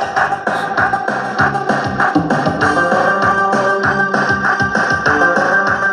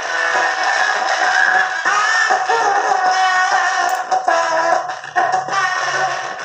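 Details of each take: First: Matsunaga two-channel stereo amplifier after repair of a channel with hoarse, raspy sound. Music now plays full and steady with a clear beat and no crackle, buzz or rasp; both channels have normal output. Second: Matsunaga two-channel stereo amplifier with C5198 output transistors: music sounds rough, raspy and hoarse on one channel, the other slightly better.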